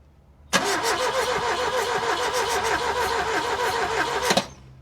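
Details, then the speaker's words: Ford Taunus Cortina fastback coupe unstarted 40 years, replacement NGK plugs, compression now sounds okay, cranked from the starter with brake clean fed: four seconds of even cranking, no firing; owner suspects bad 40-year-old fuel. "I really regret not just dumping the fuel and changing it now, because this is bad fuel, I think."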